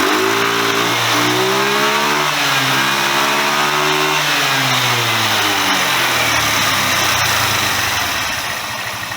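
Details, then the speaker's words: Chinese GY6 125cc scooter after the exhaust valve clearance, found at about 0.4 mm, was checked: clean rise and fall of revs, smooth and quiet with no valve tick, though the owner thinks it runs too rich at the bottom end; normal revving. "She'd go a lot faster as well if I let her, but I don't want to over rev it. So I think we're too rich on the bottom end."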